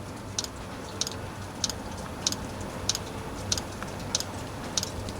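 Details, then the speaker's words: Diesel heater reassembled after cleaning out clogging from running used HV46 hydraulic oil: the fuel pump has just kicked in. Crisp, sharp ticks about every two-thirds of a second over a quiet background. Pump priming normally. "Right, the pump has kicked in. Let's wait for it to prime through."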